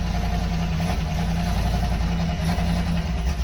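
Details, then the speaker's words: 1973 Dodge 318 LA V8 at first start after sitting about 10 years, on a run stand, with 50–60 psi oil pressure: a deep, steady idle with a light, quick tick riding faintly on top. A lifter tick is suspected, not confirmed. "Right, sure, that sounds smooth. It does, yeah. Like you said, a little lifter tick, but otherwise."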